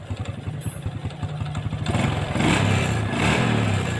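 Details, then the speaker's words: Honda Revo fuel-injected motorcycle after repair for a ticking (ngeletek) noise: small single-cylinder engine settles into an even, steady idle and picks up cleanly on a blip, no ticking; normal idle after fix. "untuk suaranya halus ya hasilnya halus"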